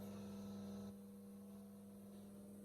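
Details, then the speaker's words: G3 Hemi swapped into a pace car, electric fuel pump on the frame rail by the right rear tire priming before first start, pressure near 60, return line working, no leaks: faint steady low hum, no pulsing or whine; normal fuel pump operation. "I don't know if you can hear it from me being up here, but it's on on the frame rail by the right rear tire. So, I can hear it now, but normally you don't hear it when the engine's running."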